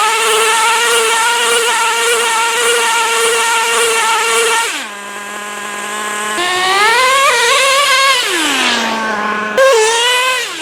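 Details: Traxxas T-Maxx 3.3 nitro RC truck, cold start after 8+ years stored in a shed, in very cold weather: a high buzzy engine revs cleanly with crisp throttle and a steady idle, running near perfect.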